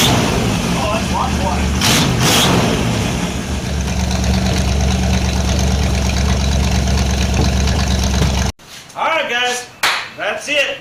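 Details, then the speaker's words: 1978 Dodge W150 Power Wagon V8 with newly installed exhaust; deep, steady rumble with an even beat, no knocks or exhaust-leak ticking, quiet in the cab after a drive around the block; normal running. "got the old or wagon running. We got the exhaust on it and took it around spinning around the yard. Well, around the block. really runs great. You can hear yourself think inside the cab."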